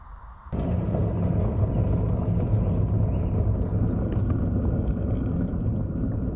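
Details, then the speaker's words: Trailer hub wheel bearing with water contamination that turned the grease milky: a deep, rough rumble as the trailer rolls, the sound of a bad, worn wheel bearing. "that's the sound of a bad wheel bearing"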